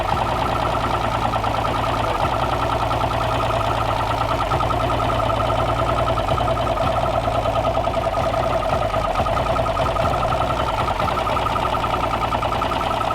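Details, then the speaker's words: Sat 2-stroke direct-injection outboard, air 80 psi and fuel 90 psi on gauges with an air leak, runs at a steady fast beat but stumbles unevenly; number 2 cylinder misfiring, air injector suspected. "But we got a misfire on number 2."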